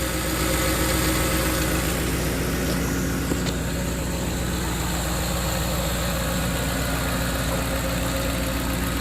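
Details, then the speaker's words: 2010 Ford F-150 4.6 V8 at about 178,000 miles, idling after engine repairs including exhaust manifold stud work: steady, even, smooth idle, quiet with no exhaust leaks or manifold ticking; electric fan runs with A/C on; sounds healthy. "it's quiet no exhaust leaks or anything 178 000 miles i believe so anyway electric fan works when i turn the air conditioner on man she sounds good"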